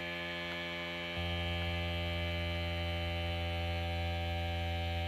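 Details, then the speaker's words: DIY gear oil transfer pump on a charged battery power head, tank over half full of 90-weight gear oil, pressurizing the air in the tank: steady electric motor hum settling to a firm, even drone. Normal running. "so got my valve here i'm gonna turn the pump on to pressurize the tank you can see the green light and then here you can hear the pump pressurizing the air in the tank"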